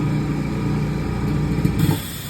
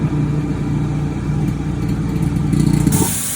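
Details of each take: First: Eastwood QST 30/60 compressor after fitting a muffler to the air bleed line via 1/8" NPT to 1/16" barb; steady low motor hum with only soft bleed hiss, then winds down; quiet normal running. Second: Eastwood QST 30/60 air compressor before the muffler modification: motor drones steadily, then a loud sharp hiss of air rushes out of the open bleed fitting with no muffler fitted.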